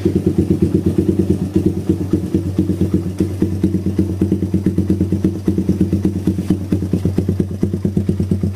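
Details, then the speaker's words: Suzuki Satria FU single-cylinder idling with a faint tick, then stumbling, flat response on gentle throttle; exhaust too large for the stock factory vacuum carburetor. "Kondisi awal ngericik tipis sama kalau digas pelan dia jeda-jeda ya, kosong deder. Kalau di spontan dia bisa der tapi kosong."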